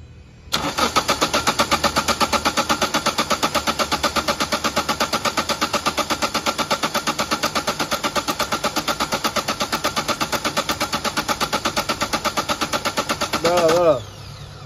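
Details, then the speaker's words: Toyota Etios diesel, misfuelled with petrol, fuel drained and filter assembly replaced: starter churns about three compression beats a second for over thirteen seconds without firing; long crank from injector back leakage. "গাড়ি প্রচুর round নিচ্ছে, start হচ্ছে না, sorry round নিয়ে প্রচুর round নিচ্ছে, স্টার্টই হচ্ছে, সেটা আপনাদেরকে দেখাচ্ছি।"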